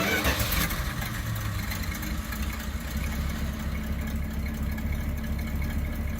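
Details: Dodge A100 (A108) van V8, revived after sitting for years, starts hard then settles into a low, steady burbling idle with no knocks or misses; a stuck valve (low compression in one cylinder) freed after warm-up; normal idle.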